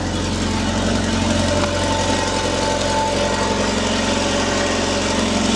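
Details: Mercedes W210 petrol, idling after fuel pump replaced with a new Bosch pump (old pump hummed loudly for a year, then failed to start): smooth steady idle, low hum, no pump whine, only faint hiss.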